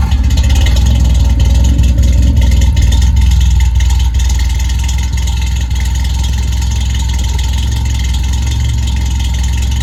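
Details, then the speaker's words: Toyota AE86 at idle after fitting a new FlowMaster exhaust; deep exhaust drone with a loose, irregular buzzing rattle over it, something vibrating, source not yet found, owner says nothing wrong. "yeah there's something rattling it sounds bad but I promise you there's nothing wrong with it it's just something rattling and I got to figure out what it is"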